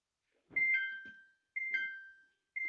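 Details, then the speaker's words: Samsung washing machine after secret button-combination reset of start button that beeped twice: three clean two-note chimes about a second apart, no error beeps; controls accept start normally. "Suaranya sudah ada nadanya, ya, tidak tit gitu, tidak bip 1 kali, tapi sudah ada nadanya."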